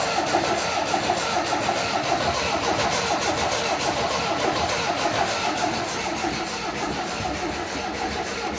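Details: 1980 MGB after clutch release fix: long steady cranking chatter, about nine seconds, with no firing or catching into a run; hard starting.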